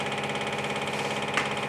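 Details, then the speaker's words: Steady motor hum with fast, even chatter from an LFMG cap-dump generator rig (bearings changed, shaft and head from an old VCR); just the machine bouncing on the bench as it runs. "And that battle you can hear is just the machine bouncing on the bench."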